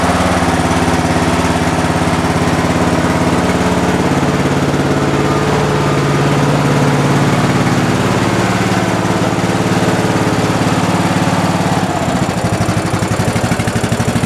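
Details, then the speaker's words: Lawn tractor cold start on full choke, parking brake set, fresh fuel, battery reconnected, last run a month ago: small single catches easily and settles into steady even idle, no misses or knocks; normal cold start idle. "you see how easy that that was started right up"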